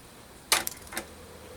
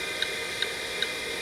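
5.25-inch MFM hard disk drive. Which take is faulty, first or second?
first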